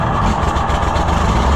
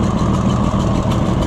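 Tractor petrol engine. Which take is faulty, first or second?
second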